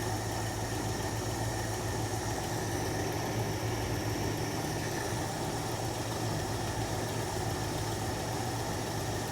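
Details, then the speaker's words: 1966 Jeep Gladiator, carbureted, first run in 24 years: after adjusting carburettor idle mixture screws from a stumble, the idle smooths out to an even, low rumble with no misfire. "Hear the idle smoothing out? All right, I'm gonna stop on that one and jump over to this one. We're already way up and the engine sounds so much better."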